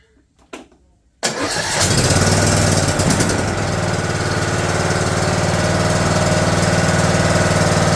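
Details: John Deere D110 mower, engine reassembled from a box, oil slightly over full, on choke: a quick crank, a clean catch, then the small engine settles into a steady, even idle with no misses or knocks.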